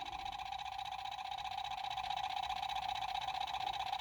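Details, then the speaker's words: Large 3D-printed magnet rotor with a hand-held drive coil; the rotor wobbles from inserts used instead of bearings. Steady, even buzzing hum with a fast regular pulse that speeds up as the coil moves closer; spinning fast with solid output, running normally. "the closer I pull it to it the faster it goes it's starting to really fly now giving me a solid output you can hear it too"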